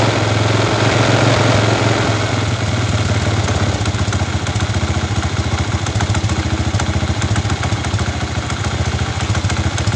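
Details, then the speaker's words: Chinese 125cc iron-cylinder motorcycle engine after swapping to another five-wire AC CDI: starts easily on kick, then idles at an even putter, about three to four beats a second; timing measured as very retarded; normal idle. "entro de todo este arrancó bastante fácil vamos a medir a ver qué qué punto tiene"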